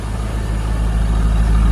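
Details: 2003 Corvette C5 V8 idling while warming up after a new water pump install, with coolant being topped off. A deep, steady rumble with no squeal or ticking and no belt squeak or leaks. Normal idle.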